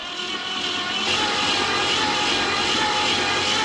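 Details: 1970 Ford Torino GT with a 351 Cleveland V8, abandoned 24 years and cranked from a booster pack: a strained starter whir with a regular beat of about four per second as the freed engine turns over.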